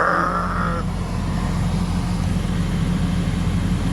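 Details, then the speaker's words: 1996 Lexus GS300 heater/AC blower motor, a junkyard replacement, first test after install with AC on: steady low whoosh of air and smooth hum, no rattle or wobble; quiet, blowing cold, healthy. "Moment of truth, if it's loud or what. Quiet. And I feel it blowing."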